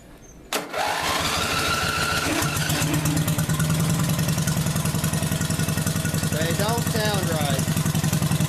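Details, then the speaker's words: 16 hp Vanguard V-twin racing mower after a derby run held wide open too long. Uneven, lumpy pulsing beat around 220 a minute with power loss; owner suspects it is running on one cylinder, not confirmed. "towards the end you can hear the motor kind of sound weird and then it start losing power and for sure I heard it at that point but I did not care pretty sure it's on one cylinder"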